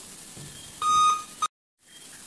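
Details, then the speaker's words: Laptop with black screen, powered up with RAM removed: steady high beep about a third of a second then a short blip, POST beep code indicating missing RAM. "all right those are the post beeps to tell you that um something is missing in this case it is telling you that the ram is missing"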